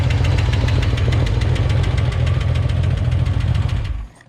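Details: Used Corvair air-cooled six, unknown engine, first start on test: regular sharp ticking about 200 a minute over heavy low rumble until shutdown; valve-train tick, lifters may need time to pump up or re-adjustment.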